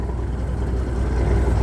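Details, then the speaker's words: Big Cam Cummins diesel in a 359 at first start-up after converting the coolant system from low flow to high flow, with new sensors fitted: deep, steady, even rumble with no knocks or misses, warming at idle; normal old-style big cam idle. "if you all haven't heard of a big cam idle it don't sound like a modern truck so it's supposed to sound like that"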